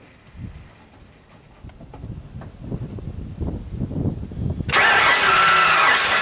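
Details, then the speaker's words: 1996 Ford F-250 7.5 L big-block V8, cold start after rebuild (new pistons, rings, camshaft, head gasket): steady cranking about two beats a second, then sudden loud roar; hard start, runs very rich, apparent no compression, cause unknown. "this sounds really rich I guess the engine's turning over I didn't hear compression really very very strange"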